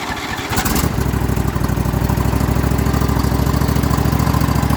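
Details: Atlas machine with replacement 25 hp Briggs V-twin, separate choke cable, cold start; cranks briefly, catches within a second, then settles into an even, steady idle with regular firing beats; normal cold start and idle.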